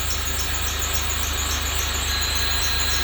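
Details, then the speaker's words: 2006 Range Rover Sport Supercharged V8 at idle: a steady, high-pitched squeal with a chirping edge, constant with no throttle change. Accessory belt squeal, slipping belt; owner says a new belt is needed. "I got a belt leak. Hear that belt? That's a belt sweep. That's a belt sweep."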